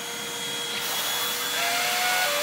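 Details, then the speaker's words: Vacuum on carpet, little used. Hum with thin squeaks rising in pitch; owner thinks it just needs lubrication, possibly a dry bearing. "oh okay we need a little lubrication that's all I'm gonna actually fix that I haven't used it that much and that's probably why right yeah it needs a little lubrication"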